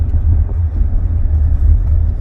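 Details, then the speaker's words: 2003 Mercedes E320 CDI estate, inline-six diesel, 204 hp, heard from inside the car pulling away gently: deep, smooth, steady rumble with no knock or vibration; normal, very soft low-rpm cruising. "on est parti tout en douceur c'est très doux et très confortable"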